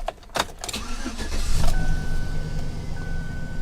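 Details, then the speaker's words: V6 car with 163,000 miles, salvage-auction vehicle: short crank, quick catch, then a settled, even idle with a faint steady belt tone; starts and runs normally. "it does run good it's got a nice touchcreen it sounds good"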